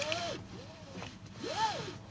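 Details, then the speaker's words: Tesla Model S P100D trim piece after a rattle repair: repeated loud screeching squeals rising and falling in pitch, each about half a second. It seems to rub against something inside; the other side is much quieter. Cause suspected. "So looks like it's rubbing against something inside. On the other side, you don't hear the same noise. So much less. As you can hear, really loud screeching sound."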